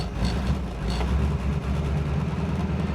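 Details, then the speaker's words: 1947 Ford just started after 13–14 months sitting on old gas, cold: low steady rumble settles in after it catches and keeps running evenly; normal running. "It's like we just drove it yesterday. Definitely smells like gas from 13 14 months ago. It doesn't smell awesome, but it's running."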